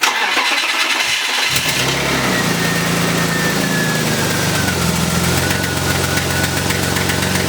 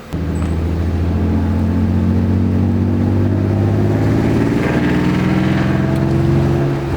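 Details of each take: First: BMW E36 exhaust after repair attempt, engine started and idling: quick puffing tick riding the exhaust note; header not tightened properly, still leaking. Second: Crashed BMW E36 on a drive after the exhaust leak at the header-to-pipe joint was fixed by refitting three bolts with nuts. A deep, even exhaust drone climbs smoothly with throttle with no puffing or ticking; it drives better but still backfires.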